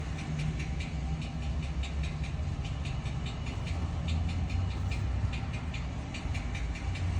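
V8 idling with a deep rumble and a fast, light ticking over it, roughly a few per second; source unclear without more checks.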